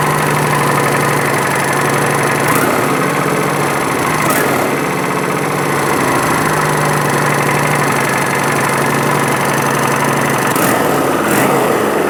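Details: 2011 Kawasaki Vulcan 900 at steady V-twin idle: a few sharp irregular knocks near the pulley cover; owner plans to check cam chain slack under the valve cover and suspects the cam chain tensioner, not confirmed.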